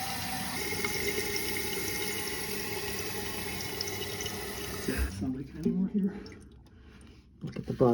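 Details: Toilet after replacing the flapper and installing a new fill valve when the old tower cracked: steady rush of water into the tank for about five seconds, then it settles quietly with no trickle; normal, leak-free fill.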